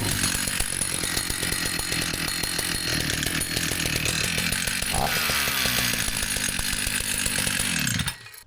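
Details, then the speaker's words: Vintage Husqvarna 162 chainsaw after repair: it started straight up and holds a crisp, even two-stroke snarl with no stumbling, and the oiler is pumping oil. It runs healthy. "That sounds good. It's pumping oil out. So, all seems to be working well now."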